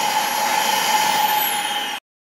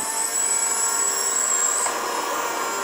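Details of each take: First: Dyson DC37/DC33 vacuum after repair: steady even high motor whine with airflow rush, no rattles or pitch wobble, then clean shutoff; motor runs smoothly. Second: Dyson DC37/DC33 vacuum before repair: thin high whine wavers about two seconds then drops away over a harsh airy rush, with a burning smell; failing motor.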